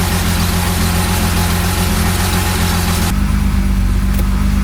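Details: 1975 Jaguar XJ6 with a stalling problem, just started after the SU fuel pump was confirmed working: it settles into a steady, even idle with a smooth low rumble and no stumbling or misses, running normally.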